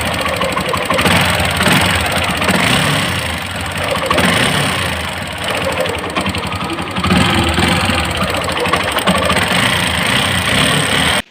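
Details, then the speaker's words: TVS 4V motorcycle at 32,271 km with an overheating complaint, idling: uneven, clattery mechanical rattle over the exhaust note. Abnormal engine noise, cause not yet found. "তো বাইকটির মূল কিছু সমস্যা আছে, অনেক মেজরিটি সমস্যা। আপনারা একটা সমস্যা ফেস করতেছি, সেটা হচ্ছে ইঞ্জিন সাউন্ড প্রবলেম।"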